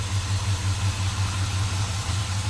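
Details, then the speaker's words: 1957 Chevy Bel Air V8, first run in 30 years after fixing a loose fuel line: steady, even low rumble with no knocks or misses; the engine idles smoothly. "right on runs good"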